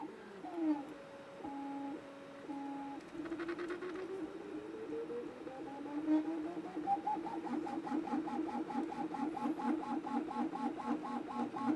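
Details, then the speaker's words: Anycubic Kobra 2 3D printer running a first-layer test: warbling stepper tones step up and down with each move, buzzing over a steady hum; tightening belt tension helps slightly but motion resonance stays loud, amplified by the injection-molded base. "I'm not exactly sure how to get rid of this noise when I change the belt tension it seems like it's helping a little bit but overall it's still kind of loud and obnoxious"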